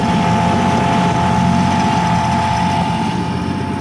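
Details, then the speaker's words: Classic Ford Falcon, about 95,700 original miles: steady mid-pitched whine over the running engine from the old external Holley 3264 electric fuel pump; loud and worn, owner thinks it may be near failure. "Fuel pump sounds like it's gonna blow the fuck up. It's one of these old Holley 3264."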